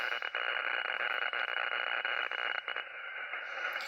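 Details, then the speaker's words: Radio receiver picking up hiss with a fast, uneven pulsing buzz across the upper band that comes and goes, on all bands, several radios and more than one antenna, still present with the house breaker off; outside interference of unknown source, solar storm suspected. "So I just flipped the breaker on the house. We still got this noise."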